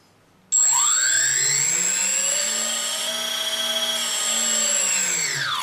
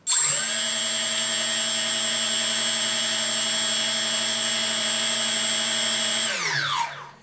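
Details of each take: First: 3D Robotics quadcopter with APM 2.5 board and 3DR 20 A ESCs during ESC calibration step 6, transmitter fed straight to the ESCs: motor whine climbs smoothly, holds, then falls evenly; throttle progressive and healthy. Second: 3D Robotics quadcopter with APM 2.5 board on firmware 2.9.1 and 3DR 20 A ESCs, armed after calibration: four motors hold one steady high whine then cut out, on/off throttle ignoring the stick; suspected board, software or configuration fault.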